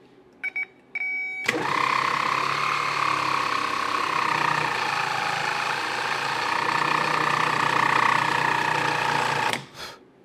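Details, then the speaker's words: 1970 Triumph TR6 starter bench-run on a good 12 V battery: whirs up to a steady high whine, then sags and labours before stopping, seizing; owner suspects internal corrosion dragging it. "now it's picking up speed which tells me that it is a little bit corroded inside and now slowing down again"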